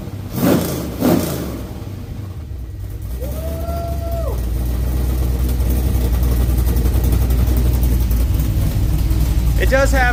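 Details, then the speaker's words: Wagon freshly swapped with 6.0 LS V8, first runs: deep rumble swelling with revs and raspy puffing edge on top; exhaust leak from an open, unplugged O2 sensor bung on one side. "one of the O2 sensor um bungs are open on this side I got to get a plug for that but it sounds badass"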